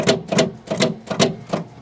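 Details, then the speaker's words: 1979 Steiger tractor with Cummins engine, sat 12 years, 5244 hours, started by starter button; sharp clicks about three per second with no cranking, starter chattering; starter fault suspected, not confirmed. "oh that's not that don't sound good at all that sounds just like that brigadier that we did"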